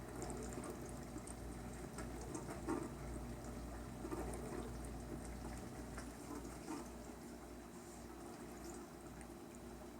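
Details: KitchenAid windowed dishwasher KDTM384ESS (44 dB rating), normal wash cycle: soft steady water spray splashing the tub walls over a low even hum; a tad louder with fewer dishes but still whisper quiet.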